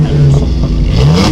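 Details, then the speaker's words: 2005 Jeep Liberty Renegade with headers, aftermarket exhaust, intake and JET chip, about 10,000 miles on the mods, recorded on an action camera's built-in mic while pulling away: deep, throaty, raspy exhaust with climbing pitch; aggressive but healthy note. "When I put the headers on, they made a difference in the tone of the exhaust. The exhaust sounded a lot more aggressive with"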